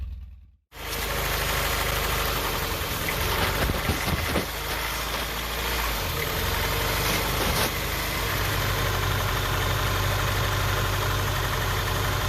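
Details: Honda Prelude idling rough with a misfire: an uneven, lumpy beat, shaking more than usual and popping, brapping exhaust. The owner suspects the spark plugs (unconfirmed) and plans new plugs, wires and maybe a distributor cap and rotor.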